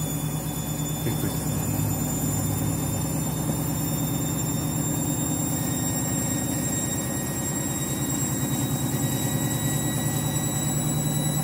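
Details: Washing machine final spin after a very sudsy final rinse (possible suds lock, load sensor deciding speed): loud steady roaring hum with a pulsing throb at high speed; the spin is abnormally noisy, cause not yet clear.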